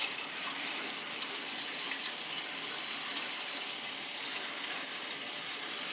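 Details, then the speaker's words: Crown gas boiler heating zones after purging all three zones (third floor had air, possibly from a stuck feeder): smooth, constant rush of water with no gurgling or spitting; flow steady, air out. "all right so we're all purged we got all them zones back opened up she's ready to rock and roll"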